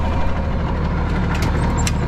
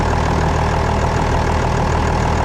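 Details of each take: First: Diesel loader running for a minute after hydraulic hose reconnected and oil refilled, while wheel is turned back and forth to bleed air: deep, steady rumble, even beat, no knocks or squeals; running normally. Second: Old loader with about 28,000 hours, diesel idling with firm low beat but hydraulics dead: hydraulic fluid leaked out, suspected from one of two hoses; rear main seal also leaking slightly.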